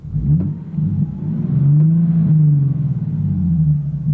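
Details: 2012 Nissan 370Z V6, six-speed manual, warmed up, revved in place: deep, smooth rev rising and settling cleanly with no tapping or rattles; sounds good.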